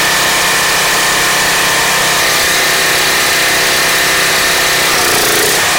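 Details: Craftsman 2700 PSI pressure washer with a Briggs & Stratton 175cc engine, after the clogged carburettor jet was cleared: steady, even drone with no stumbling or surging. It runs cleanly, with the no-start fault cured.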